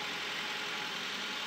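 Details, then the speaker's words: Idling Soviet car (one of a Lada 2101, Moskvich 412 or ZAZ 968M): a steady, hissy, high-pitched whirr over a faint, thin engine note; said to be the clutch release bearing and normal, not confirmed. "Il est vrai, c'est normal, elle prend tout ça. Ah ouais? Ah, c'est normal. C'est la butée d'embrayage."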